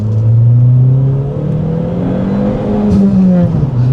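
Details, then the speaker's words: 2003 Dodge Neon SRT-4 turbo engine revving, pitch climbing smoothly and easing off cleanly with no misses or rattles; revs to redline without problem, about 3,000 rpm at 65 mph, exhaust pops and crackles; EVAP code and brake/ABS light pending; healthy. "yes it will Red Line not a problem 3,000 RPM at 65 mph the thing should still get relatively good fuel economy and the exhaust sounds so great it's got the pops and crackles uh but not overly done"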